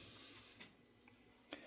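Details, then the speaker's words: Homemade heat pump with its own microcontroller control board: a few light, sharp clicks over a quiet background as it switches to cooling; the reversing valve shifts normally and the fan modulates as it should. "You hear the reversing valve did click when I switched it to cooling and fans modulating the way it should be."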